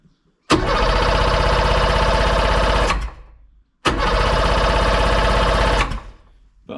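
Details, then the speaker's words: Sea-Doo Sportster 1800 jet boat, twin Rotax 717 two-stroke engines, sat in a barn 18+ months, fresh plugs, no carb cleaner: cranks over with even chuffing, good compression, never fires; fuel gauge reads zero, suspected empty tank. "it's spinning over sounds like it's good good compression might even do a compression test on it as well um hasn't taken but I say I don't think there's any fuel in it"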